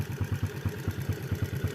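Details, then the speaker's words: Yamaha Vega R New / Jupiter Z with a racing camshaft of longer duration, hot: fast, even ticking about nine per second at idle from the valves despite correct valve clearance; more adjustment or RRA parts suspected to help; ticking at idle. "Tapi ini padahal ini setelan klepnya udah pas ini ya, tapi masih bunyi ini ya. Mungkin disetel lagi ya, kalau nggak pakai yang RRA mungkin bisa meredam suara"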